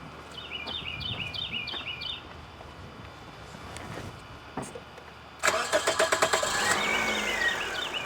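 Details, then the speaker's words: Toyota Corolla with intermittent lean condition, code P0171: a little over a second of cranking before the engine catches, a slightly long crank; suspected low fuel delivery, fuel pressure tested fine, pump not condemned, more testing needed. "It's like it's not getting enough gas right there to have that slow cranking long almost a long crank timing before you start. Yeah. When you Yeah, you can hear there's a little delay."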